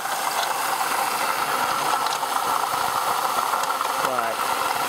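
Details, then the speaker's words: 2004 Ford Taurus, engine otherwise running fine: a rough, rasping grind over the idle that speeds up with revs. It is new; the owner suspects the AC compressor or power steering, unconfirmed. "I'm just hearing like a grinding sound coming from somewhere it might be the air conditioning compressor I'm not sure um but I wasn't like this before"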